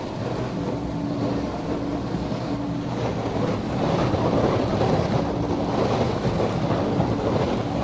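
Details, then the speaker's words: Miele dishwasher after repair, restarted with clean water after draining dirty water: even swish of spraying water with a low pump hum that cuts in and out; normal wash cycle. "Je vais la remettre en route avec de l'eau propre. Et écoutez."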